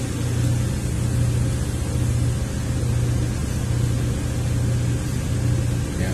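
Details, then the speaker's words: 2003 Ford Windstar 3.8 V6 after ignition coil replacement and codes cleared, idling. Steady even low rumble with no stumbles. Cylinder contribution test shows cylinder 6 now good: misfire fixed. "look at cylinder contribution test now and see if it still shows amiss that seems to be running perfectly smooth now"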